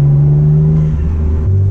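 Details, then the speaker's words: Mitsubishi 3000GT VR4, still running on old gas and with coils the owner thinks need tightening: at full throttle around 3000 rpm the note wavers and drops unevenly, clearing by about 35. Engine stumbling under load; cause unconfirmed. "Every time you're at 3 grand, man, it breaks up. I don't get it. Like right there, I just had it punched. All it did was break up."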